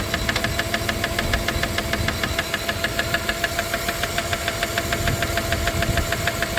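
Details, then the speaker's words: 1997 Dodge Caravan LE idling after a rod and main bearing replacement, running on five cylinders; crisp, even metallic ticking about three times a second up top. Owners conclude it is definitely a lifter or pushrod, meaning a sticking hydraulic lifter. "it's definitely a lifter it is yeah a lifter a push R"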